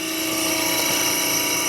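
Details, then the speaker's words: 1997 Harig EZ-Surf 6x18 CNC surface grinder, wired 220 V: the grinding spindle runs with a steady, even high-pitched hum, with no rumble, knock or grinding. Normal, quiet spindle. "Spindle runs nice and quiet."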